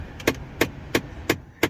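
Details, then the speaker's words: 2005-2009 Ford Mustang: crisp, evenly spaced clicks about three per second near the defrosters from the blend door actuator behind the gauge cluster skipping its gears; fixed by replacing the actuator. "And if you're getting another kind of clicking up here near the defrosters like I am, there's another"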